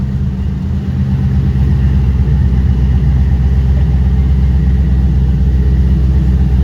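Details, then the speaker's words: 2008 Toyota Prius with a swapped-in 5.3L LS V8 at first start-up after injector fixes: steady, even low rumble at idle with no knocks, stumbles or ticks; 50 psi oil pressure, charging at 14 V. Normal, healthy idle. "go we got 50 lbs of oil pressure so I'm happy with that yeah it is so smooth"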